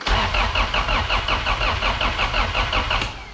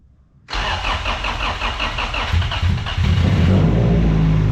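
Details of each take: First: Car not run for 2 years, after a wiring harness repair, in neutral: starter churns steadily at about three pulses a second and never catches; the fuel pump had been forgotten, so no fuel supply. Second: Car not run for 2 years, after a wiring harness repair, fuel pump now on: cranks briefly, catches cleanly and settles into a strong, steady, even idle with no misses; oil pressure 50 psi, fuel pressure 87 psi after start.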